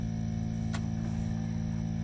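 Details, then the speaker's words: Pond aerator running at maximum, full-bore output: a steady, even low hum with no knocks, rattles or surging. Normal running. "That's a, that's max. That's as loud as it gets. 100% full bore."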